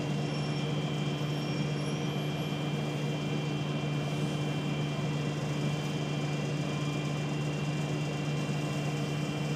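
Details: Wright Solar bus FH54 VRY: steady low electrical-sounding buzz constant over quiet engine hum, present whenever the engine is on; source unidentified.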